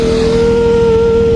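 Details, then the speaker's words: Honda Beat ESP scooter, final drive (gardan) gears: steady mid-pitched whine with fainter higher tones rising as RPM climbs while riding, from unsynchronized worn ratio gears; mechanic suspects gear oil was previously contaminated with water. "Semakin RPM tinggi, suaranya semakin hiung. Itu dari gigi rasio yang udah tidak sinkron gitu."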